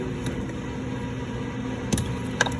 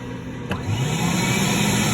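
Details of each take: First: ADV ES4000 floor scrubber rear vacuum motor with low batteries below 24 V: two sharp contactor clicks, then only faint hum and no motor spin-up; vacuum motor failed, causing poor water pickup; replacing both advised. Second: Advance ES4000 scrubber with water-lift issues and batteries below 24 V: one rear vacuum motor spins up into a smooth, steady whine and runs properly. The other motor fails to start, and replacing both is advised.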